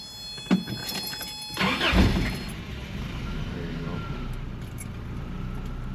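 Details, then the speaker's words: Toyota pickup after ignition switch replacement, tested before reassembly: short crank with one clean catch into a steady, even run, starter disengaging properly, not stuck; starts better without touching the starter spade connector and idles at higher RPM. "It starts even better. And that's that's how I'm not even messing with that little spade connector."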